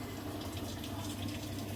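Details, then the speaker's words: Samsung Duo Wash 14 kg washing machine after replacing the water inlet solenoid valve (fault: water not filling): even rush of water into drum over low steady hum, no hesitation; inlet valve filling normally. "ไหลเข้าเลยครับเมีเสียงน้ำไหลเข้าแล้วนะครับเแค่นี้เองครับ"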